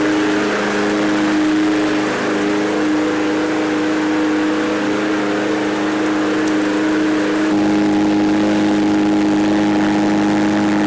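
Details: Free roadside MTD push mower, small single: steady, even drone holding speed smoothly with a slight pitch step partway through; normal running.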